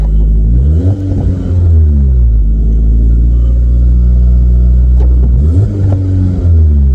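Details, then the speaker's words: 1997 VW Vento (Mk3 Jetta) automatic after fluid drain and filter/gasket change (filter had fallen off in pan): revs climb high and fall back twice with no shift; gearbox only has first and reverse, stuck in first. "No. Well, I got reverse. And I got first. That's it. I don't understand. I've lost them all now. I've lost all the gears."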